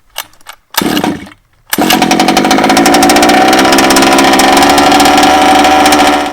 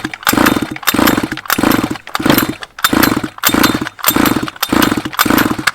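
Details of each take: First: Baja small two-stroke, after blowing excess fuel out of the head, refitting the plug, priming and choking: a couple of short pulls, then it catches and runs at a steady, buzzy high idle. Cleared and running normally. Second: 1/5-scale petrol two-stroke Baja RC car, flooded, spark plug removed: seven even pull-starter whirs about every 0.6 s with no firing, spinning the engine over to blow the excess fuel out of the head before refitting the plug.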